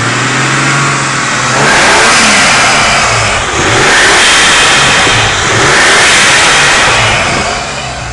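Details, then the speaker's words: 1987 Toyota 7M-GTE engine revved twice: rising hiss as the turbo spools quickly, then a sharp blow-off whoosh on lift-off; healthy turbo spool and blow-off, though it still needs a knock sensor and temp sensor. "turbo spools up you can hear the blowoff actually hit and it spools up quick so perfect running engine"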